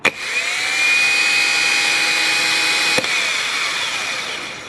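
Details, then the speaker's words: Subaru Forester 6-speed manual starter bench-tested off the car on battery power: even, steady high whine with no grinding or catching, then clicks off and winds down cleanly; healthy starter. "Seems alright."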